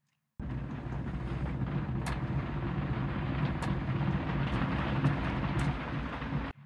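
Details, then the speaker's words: Lab equipment motor spinning after replacing a single failed transistor; steady low hum with an even tone for six seconds, then a clean cutoff: normal running, repaired. "okay I mean it's spinning that is that's unexpected uh and the screen says that it's it is spinning"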